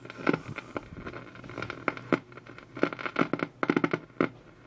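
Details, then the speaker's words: Vintage RCA radio receiver brought up slowly on a variac through an isolation transformer, about 93 V drawing 0.13–0.19 A; irregular crackles and pops over a faint low hum, no stations received. "definitely no stations just the crackling and the popping"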